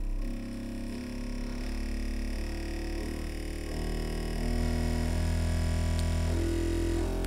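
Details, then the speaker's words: Bambu Lab A1 3D printer on first power-up, full-auto calibration: steady humming tones step up in pitch as it shakes through vibration compensation, frequency readout around 29–30 Hz; table items vibrating; normal resonance sweep. "all right now it's doing vibration compensation and it actually shows you the HTS here 29 30"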